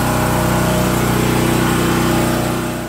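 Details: Champion overhead-valve generator that had no compression and would not start, running after valve lash adjustment to 0.004 in: small single-cylinder engine at a steady fast even beat, about four firing pulses a second, no misses or knocks; runs fine.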